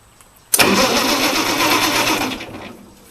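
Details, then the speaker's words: Ford 8N-type tractor with six-cylinder flathead Ford truck engine, after battery replacement; starter spins engine evenly for about two seconds but it never catches – crank no start, gas tank completely dry. "cranks but the gas tank is completely dry so it's off to the gas station to get some gas"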